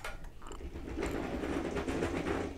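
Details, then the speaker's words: Golden BuzzAround mobility scooter with a broken transaxle, before repair, pushed forward and run briefly: irregular gritty crunching and clicking from the rear drive, pointing to broken gears inside the transaxle. "Yeah, that's not good. So that's all crunchy. So we'll see what's going on with that."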